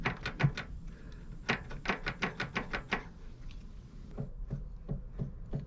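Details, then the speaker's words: Yamaha XVS 650/400 Drag Star, rear wheel raised, driveshaft turned by hand: light uneven clicks in bursts, play suspected in the intermediate shaft; universal joint suspected for coast vibration at 30-50 km/h and clunk on shifting. "люфт то есть и я слышу постукивание новым по ходу скорее вот в промежуточном валу"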